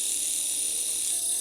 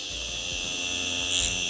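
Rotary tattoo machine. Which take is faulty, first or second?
first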